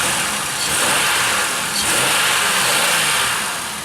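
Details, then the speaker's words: Pontiac Aztek with 132,942 miles, driving: a clean, even rev over steady road and wind hiss, with no ticking or knocking; a quiet, healthy engine. "I said there's no obnoxious hick or anything oh man this is great"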